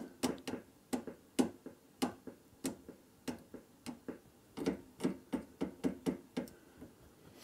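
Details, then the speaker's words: 1967 Fender Bassman tube amp with sharp, uneven crackles and pops about two or three a second, from moisture-caused micro-cracks inside carbon composition resistors; fix: replace the resistors. "es microofissures à l'intérieur et à faire des bruits de craquement comme on vient d'entendre c'est typique parce qu'il y a de l'humidité qui vient se mettre à l'intérieur de la euh comment de de la résistance et on entend des petits craquements"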